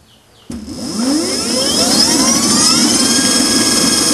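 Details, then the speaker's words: QS outrunner motor after rewind and hall wire resequencing, Kelly controller: smoothly rising whine, then steady even high-pitched whir at full throttle, 1300 rpm (was 2200 and rough before); normal running. "the first combination that came to it works perfectly and it also spins at 1300 rpm now and but it sounds a lot smoother listen to this"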